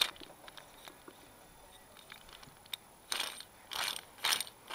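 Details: Westwood diesel ride-on mower idler pulley with the drive belt off, spun by hand: short, rough, gritty bursts about twice a second, a dry grinding; idler pulleys worn beyond service life and being replaced; worn idler pulley bearing.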